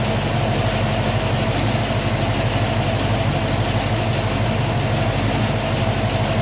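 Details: 1967 Ford Mustang 347 V8 idling after a new battery, cables and alternator, run with UV dye in the oil to trace a leak at the bell housing: deep, regular, even low rumble, no knocks or misses; normal idle.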